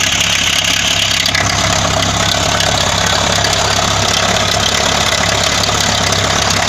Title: Стук двигателя ²